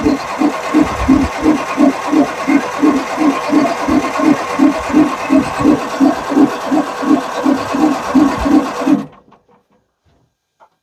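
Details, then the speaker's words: Perkins 6-cylinder diesel in a homemade RV on a 1966 GMC bus chassis, sitting about 30 years. Lift pump fed straight from a tank, tank pressurized; steady cranking about three beats a second, never catching; air purging out the side of the fuel filter starves it. "then it started pumping getting it up to the filter and then it's kind of puking a bunch of air out the side of the filt"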